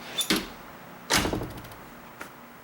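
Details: Door latch after strike-plate tab adjustment to fix a chattering door: a clean latch click and one solid thud as it shuts, no chatter, rattle or slop afterward.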